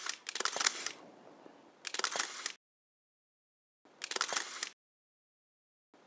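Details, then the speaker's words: Rollei Magazin 70 motorized 70mm film back on a Rolleiflex 6000-series camera, continuous mode: quick whirring wind bursts between silent gaps, then a longer wind at end of roll as the red light lights; normal operation. "When it runs out of film, it detects that and the red light lights up and you hear it wind for that extra period of time."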